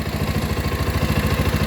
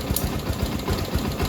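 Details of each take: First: Rouser 220 single-cylinder motorcycle that would not start; with the battery disconnected to test charging, idle is raised but runs rough and low, slow uneven thumping around three and a half beats per second, sagging and nearly stalling without dying. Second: Rouser 220 single-cylinder motorcycle after fixing reversed wiring and insufficient grounding that caused the no-start; steady, even low thumping at fast idle on choke, no skips or stumbles, running cleanly.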